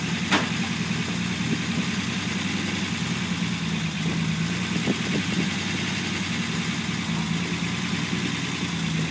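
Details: Unimog 404 running after its first start following a rebuild with new fuse boards and rewiring: an even, settled idle with a steady low thrum and no knocks or misses; the engine sounds healthy.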